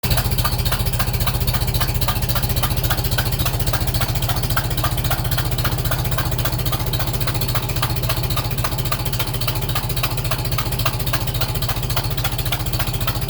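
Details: Super M tractor right after startup: rapid, steady ticking about four times a second over a rough petrol idle. First thought to be a cracked exhaust manifold; on further inspection, owner thinks it is just a leaking manifold gasket.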